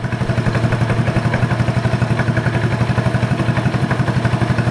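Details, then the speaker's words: 1986 Honda TRX 125 ATV with aftermarket carburetor, started on choke then choke off: steady even single-cylinder idle about four beats a second, no misses or rattles; normal idle. "Sounds pretty good."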